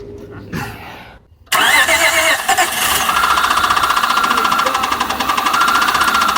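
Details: 2000 Honda Odyssey with waterlogged engine, water mixed into the oil, started after spark plugs removed and water expelled; cranks and catches, then a loose, uneven knock about four per second over the idle, source unknown.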